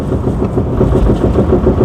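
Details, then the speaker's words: Hyundai Amica CDX driving at about 30 with a sticky brake: steady ticking about seven times a second over the drive noise, following wheel speed; dragging, sticking brake suspected, said to be common on these cars. "mind you as long as they're working I don't really mind if it's making a bit of noise it's welcome to make a lot of noise I don't care that's what it sounds like at 30 on the brake apparently it's a common problem with these cars"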